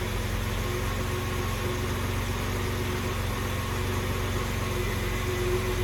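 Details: Series 1 Jaguar XJ6 without choke, cold start on a cold night after hard start; slow, lazy, slightly uneven idle at about 485 rpm, no knock, alternator sounds unhappy; cold idle too low.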